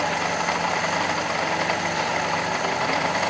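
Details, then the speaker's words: Fiat Panda 4x4 Sisley with a carburetor clogged by iron oxide and a jammed float causing rough running, seemingly on two cylinders. Rough idle with a steady thin whirring whine over it; worn clutch release bearing, to be replaced with a grease-packed new one. "That clutch bearing sounds terrible. I can't wait till I change that clutch bearing."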